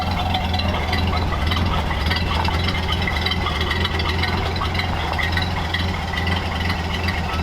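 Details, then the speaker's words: 1931 Ford Model A coupe after years sitting, fuel tank sludge cleaned, extra filter added and air-bound fuel line bled, now warmed up. Steady, even low idle with a smooth beat and no knocks or misses; it runs cleanly. "got it pretty warmed up it's ID good sounds like a stock Model"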